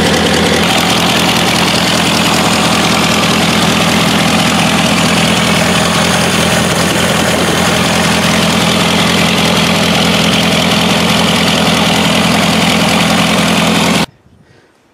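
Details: 1984 Toyota SR5 pickup four-cylinder, cold start after about five years sitting, after gas was added to the carb bowl and the fuel pump smacked: steady, even idle with a regular beat for about fourteen seconds, then shuts off; runs clean.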